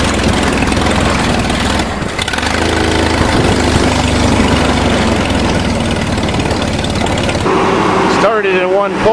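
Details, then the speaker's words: Homemade catnip-mulching lawnmower with no handle or wheels, a big welded chute, and legs so it sits on a barrel. Its small single-cylinder engine runs at a steady, even beat with no stumbles or surging, smooth and healthy: normal running. "runs nice and smooth can't fall off the barrel because it's got those legs on it"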